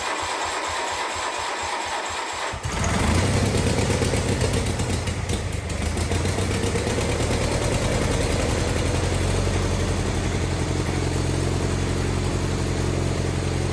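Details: Wheel Horse 520H tractor, Kohler engine, revived after sitting, jump pack hooked up, fresh gas from can: short crank, fires and settles into even steady run with no misses; running well.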